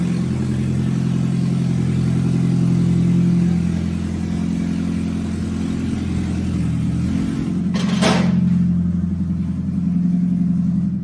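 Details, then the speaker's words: Toyota Prius with its catalytic converter stolen, running an eBay straight test pipe as a temporary fix. It smokes a little from the rear tailpipe with an odor. A deep, loud exhaust drone as it drives past: loud exhaust from the missing catalytic converter. "so ebay figs you're about to witness and you just witnessed the straight pipe test pipe temporary fix there he goes right there he's coming around the corner"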